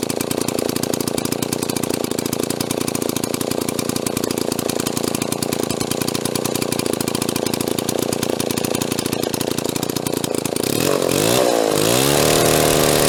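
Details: Restored Mall 12A two-stroke chainsaw, carb tuning not 100%: crisp fast buzz with even beat, quick rev near the end; runs fine, tuning slightly off.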